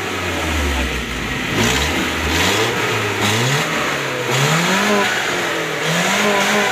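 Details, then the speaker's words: Suzuki Carry Futura injection, after throttle body and sensor service for hesitation and stumbling on sharp throttle: quick blips from idle rise and fall cleanly with no stumble; throttle response now normal. "Baiklah sobat semua seperti ini jadi Alhamdulillah sekarang sudah bisa dikatakan normal gasnya setelah kita servis Turtle body maupun sensor-sensornya"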